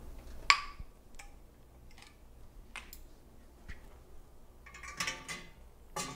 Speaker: The pinging's gonna start happening, but we'll be extra quiet so we can hear them.